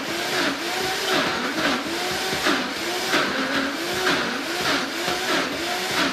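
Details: Vitamix blender making thick dips such as hummus: motor whine dips and recovers rhythmically as the thick mix is pushed down; normal growl under thick load, not broken.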